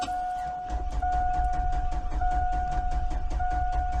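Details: 2001 Ford Expedition XLT V8 that won't start: steady cranking at about two and a half beats a second under a constant chime, never catching; owner suspects the fuel pump.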